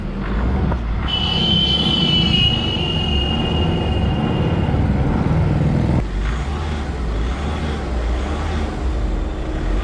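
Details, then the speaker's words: Volkswagen diesel, driven about 20–25 km: steady low rumble at idle with no knock or bellhousing rattle; normal idle, no problem. "कारण आप कैसे नहीं कहीं कोई problem नहीं है न ही कोई साउंड वगैरह तेज"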